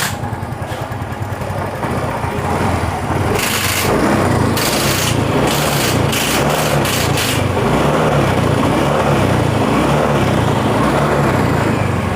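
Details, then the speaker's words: Yamaha Mio M3 125 scooter after repair: previously ran out of oil, causing worn bore, loose piston and front-engine knocking; new piston fitted, now runs smoothly with quick throttle blips and no knock. "ada suara ketukan yang keras seperti kemarin ya di sini sudah halus dan Alhamdulillah sudah normal lagi"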